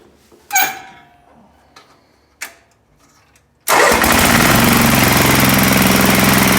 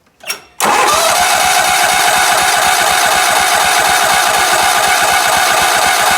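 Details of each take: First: Sears ST/16 garden tractor that had sat for a long time, after a new fuel pump (old one not pumping), a carburetor from another tractor and rewiring: a few clicks and clunks, then it catches at once and runs steady and even with no misses. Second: Sears ST/16 garden tractor, long unused, fresh fuel added and air pressure put in the tank; starter cranks in an even chug about three times a second but it never catches; owner believes the fuel pump is bad, explaining a cut fuel line.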